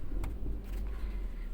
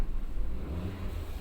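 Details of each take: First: Tata Zest petrol with malfunction light on: lumpy, uneven idle that sags and fades as the engine misfires and stalls; scanner reports a pedal position fault and injector/cylinder data. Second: Tata Zest petrol after replacing a faulty cord set (misfire, stalling, injector 1 flagged): quiet even low idle hum, no missing beats or stalling dips; scanner shows no fault codes, misfire solved.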